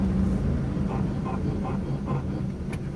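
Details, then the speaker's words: Hyundai Atoz, test drive on a quiet road: rough "krek krek" grinding/scraping from the front wheel area about three times a second whenever the brake pedal is pressed; suspected worn brake pads or disc, not confirmed. "Dengarkan ini suara bising saat kita injak rem Bos ya Nah itu Bos ya krek krek Gitu Bos ya ini Bos ya lagi bos ya ini sepertinya pada bagian kampas atau piringan ini Bos"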